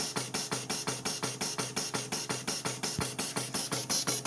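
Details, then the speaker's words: Electro-pneumatic system after fault-finding and tightening a loose sensor into correct position, air turned back on: crisp evenly spaced valve clicks with short air bursts about five per second, no skipped beats; system now running correctly. "so i'm turning on the air again and the system is now running correctly"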